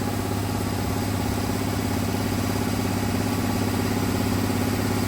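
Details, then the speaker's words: 1966 Ford Fairlane: rough lumpy idle, uneven beat about two pulses a second like one cylinder not firing; suspected firing order problem though checked; charging system issue also found, miss remains. "To me, it sounds like a firing order problem, like you got 2 cylinders. I'd say we checked it, double checked it, checked it. But even right now, I can hear it. It's like it's not hitting on 1 cylinder."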